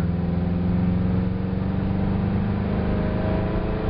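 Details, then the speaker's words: Ford 302 V8 wagon during carburetor power-mode calibration, wide-open throttle road run from second gear through the shift; deep V8 pulling hard and climbing smoothly with no surging or hesitation. "Oh, baby. Man, now, no surging, no hesitation. All over it."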